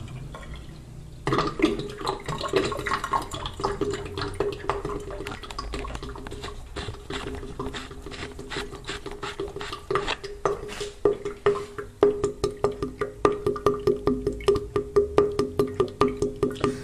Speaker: Tal como estáis oyendo, este sonido un tanto desagradable, un tanto molesto, se produce después de tirar agua en el fregadero y suele tardar pues unos 3-5 minutos dependiendo del día, no siempre tarda lo mismo.